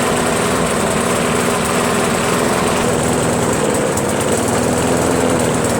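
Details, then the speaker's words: Briggs & Stratton Pulsa Jet Prime mower engine, before repair, after sitting a while: starts, then runs lumpy and wavering, very rich; owner's theory is a worn carburetor diaphragm and gasket. "let it run for about two minutes starting to run like crap now it looks like we're gonna change the gasket and diaphragm"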